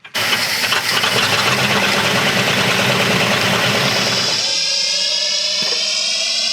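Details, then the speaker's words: 1970 crane truck engine, sat unused about ten years: catches and runs rough with a rising whirring, sci-fi-like whine over it; something's wrong, cause not yet known. "this warp engine got some problems sound like he's got a flow"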